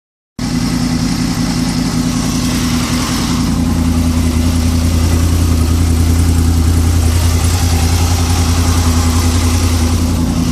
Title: Weird engine noise?